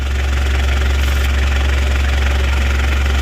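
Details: Citroen Berlingo idling after a new down pipe and exhaust were fitted, checked underneath for leaks; steady deep rumble with no puffing or ticking, no gases escaping, healthy idle with a sealed exhaust.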